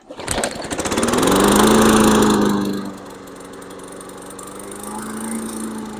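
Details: Briggs and Stratton 140–155cc lawn mower engine after head gasket replacement, carburetor cleaning and new gas cap: pull start catches and revs loud, then settles to steady even run at lower speed; engine running healthy.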